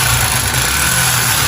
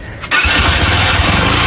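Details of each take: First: Yamaha Factor (also called an XBR) single-cylinder motorcycle, brought in only for an oil change: loud clattery mechanical rattle over the exhaust at idle. Cause later confirmed as a worn cylinder kit (piston and cylinder), not the connecting rod. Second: Yamaha Factor motorcycle brought in for heavy engine noise: a quick catch on the starter, then an even, steady single-cylinder beat with no knocks or rattles, a healthy start.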